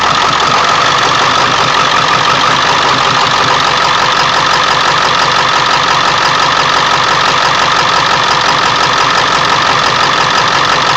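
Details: 1999 Ford F350 7.3L diesel, cold start after sitting for days, plugged in overnight, no check-engine light: loud idle clatter with an uneven loping beat instead of steady rhythm; rough idle; cause unknown.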